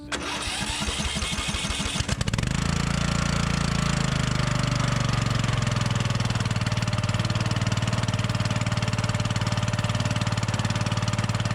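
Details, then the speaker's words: Murray 42" riding mower after drying out the flooding: brief cranking, then a steady, even single-cylinder run with no misses. Normal running; the ignition switch is believed to have been the culprit. "we'll just let it run for a little bit charge up the battery and make sure it runs good"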